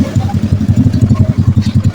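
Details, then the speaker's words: Honda Blade carburetted motorcycle engine rebuilt after running out of oil and seizing the piston; first run after assembly, even steady idle thumping about eight beats a second with no tapping or rattle: smooth, healthy rebuilt single. "Dengarkan suara mesinnya di sini. Oke, suaranya halus ya."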